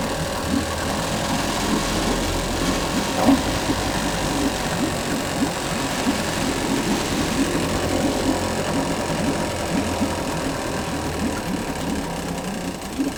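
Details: Yamaha 5 two-stroke outboard No. 1, just started on internal tank with choke used: runs fast and buzzy at idle with a steady rapid beat; idle speed set too high, then lowered and check-port stream confirmed.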